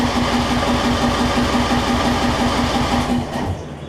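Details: John Deere 125 rider with a 14.5hp single-cylinder engine swapped in from an MTD, replacing a blown 20hp Briggs V-twin: engine fires and runs unevenly for about three seconds, then the note sags and dies, starting then stalling, cause unknown.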